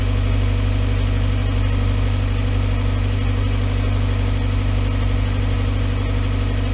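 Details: 2011 VW Voyage with EA111 engine idling: smooth, steady low hum with an even beat and no knocks, whine or rattle. The noise complaint was traced to the water pump; the timing belt and tensioner were replaced. Normal, quiet idle.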